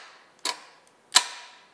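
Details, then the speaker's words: Daihatsu Midget with swapped front-wheel-drive engine, first crank attempt via button: two sharp single clicks about three-quarters of a second apart, no cranking; starter solenoid clicks but engine does not turn. "so click if it doesn't rotate why it doesn't work it just doesn't"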